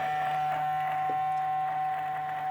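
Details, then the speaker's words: 2013 BMW E70 N63 after cooling system refresh, ignition off and on again, engine off: the small auxiliary coolant pump still runs nonstop with a low hum and thin whine after minutes; owner suspects it isn't actually pumping. "i turned the car on or turned the car off and back on again and you hear it running still something doesn't seem right there"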